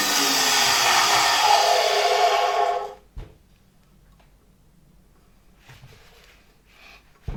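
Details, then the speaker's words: 1973 Zelmer 01A vacuum cleaner, type 34 motor bench-run on reduced voltage via regulator: loud hissing, scraping whir for three seconds, distinct friction thought to be the impeller rubbing its housing rather than motor bearings; capacitor ran hot. "I can hear such distinct friction, but I have the impression that it is more the turbine rubbing against the housing than the motor bearings."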